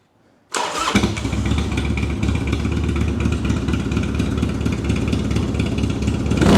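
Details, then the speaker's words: 1999 Harley-Davidson Dyna, carbureted 88 cu in Twin Cam V-twin, fuel on and choke out, cold start on a jump pack (weak battery) after fitting a Sawicki Speed exhaust in place of the rotted stock one: fires first try, deep loping rumble, clean revs, normal. "Wow. What do you guys think? Bike sounds awesome. I think it does."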